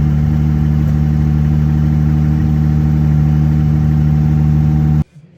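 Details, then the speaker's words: Jeep Gladiator manual with gearbox shifting trouble, cold start idle: strong steady squeal tone over idle that stops with the engine; squeal from clutch or transmission area, cause undetermined, owner suspects manufacturing fault. "Okay, so you guys heard the squeal, but it done that on a cold start. So, I mean, I just don't think it's right."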